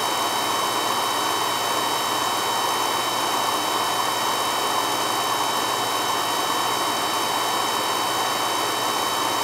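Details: Carlin EZ1 oil burner that ran rough, after a new 0.85 60° B nozzle: steady even flame roar with no pulsing or shudder; burner now firing cleanly and smoothly.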